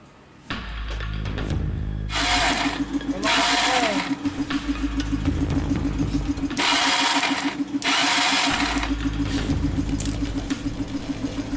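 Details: Motorbike started after fitting a small spring found in the toolkit (likely from a cover) and reinstalling the CDI: an uneven ticking knock with stumbling beats about three per second. Knocking and misfiring; the small spring is suspected and the spark plug is to be replaced.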